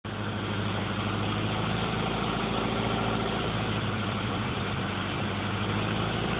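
Uneven, loping idle with the beat stumbling and dropping out now and then; it is misfiring, cause not yet pinned down.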